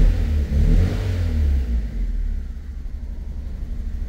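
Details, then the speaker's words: 2002 Fiat Punto 1.2 petrol with flashing engine light, idling after a lambda sensor connector check: uneven, lumpy low beat with slight shake, the car visibly vibrating; rough running, same symptom persists, cause not confirmed. "Vous voyez, le véhicule vibre un peu, ça vibre."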